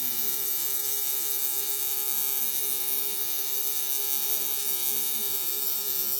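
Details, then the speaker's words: Tattoo machine running with a steady high-pitched buzz holding one even pitch, no stutter or drop-off; its noise is used to judge running speed; normal running at working speed. "these machines do and can be quite noisy. Um, we use that noise actually. It tells us how fast and the speed the uh machine is running at."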